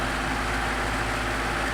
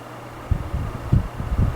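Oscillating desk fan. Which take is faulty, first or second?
second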